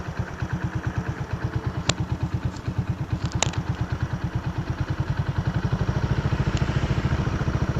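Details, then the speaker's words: Honda Supra V kick-started single-cylinder at idle; quick even thumps about two per second, deep boomy tone because the muffler is rusted and porous, leaking exhaust. "nah ini suara mesinnya suaranya agak sedikit ngebahas karena kenalpotnya juga agak karatan kropos"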